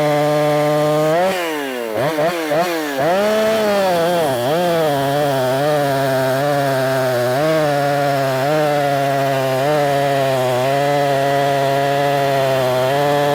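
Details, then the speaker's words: Husqvarna 262XP/257 chainsaw, cleaned and tuned up, cutting wood: saw screams at high revs, dips smoothly as the chain bites and recovers cleanly each cut; healthy, strong running under cutting load. "I've already got it tuned up pretty darn good she's running good let's do some cutting"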